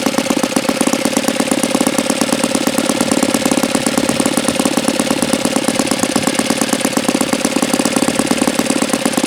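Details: Saito FA-82a four-stroke model engine, very low-time and not fully broken in, run untuned; fast, even popping idle with a steady rhythm and no misses or stumbles: idles cleanly, normal idle.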